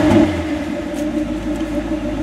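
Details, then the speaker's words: Cold 6.0L Vortec V8 with aluminum heads, believed to be from a 2004 Chevy 2500 and fed by a carb, revved from the rear. A steady mid-pitched drone with a slight early stumble, which the owner attributes to the cold engine and an untuned carb. "stumbly a little bit little cold for reving probably a little cold and thebe no gas going in and the carbs not too"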